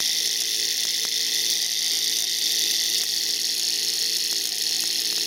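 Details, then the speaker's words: Tiny class-project DC motor kit rated 1.5 V run on high voltage (almost 2 A): thin high-pitched screaming whir over hissing crackle and sharp ticks; brushes arcing, burning away the commutator copper, motor heating. "See the sparking right there? That's arcing. That's literally the copper is burning out."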